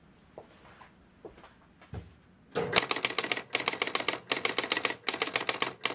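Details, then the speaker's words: Spirit of 76 pinball with switch P5A blocked open, player unit moved off zero: a few loose clicks, then fast mechanical clatter that keeps going; player unit returns to zero but score motor runs on and game won't reset. "so the player unit went around to position zero and then the score motor continued to run and nothing else happened"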